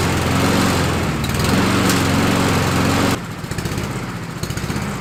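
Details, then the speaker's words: Husqvarna LC 221RH mower, Honda GCV 160 engine, with a cheap knockoff carburetor after fire repair: runs strong about three seconds, then drops to an uneven, pulsing beat, possibly lean. Rough running; owner suspects a jet is too small or clogged. "well it runs and it is a cheap carburetor a knockoff carburetor i'm wondering if one of the jets is too small or got crap in it"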